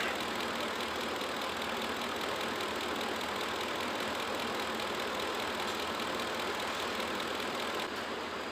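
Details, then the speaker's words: 2004 Ford F-150 5.4L after timing component rebuild and bearing work, straight-piped: steady, even idle with loud open-exhaust rush, no knocks or ticks; sounds quiet and healthy. "we'll go back to check our fluids and then we'll see what this thing can do take a listen to that folks sounds pretty darn quiet"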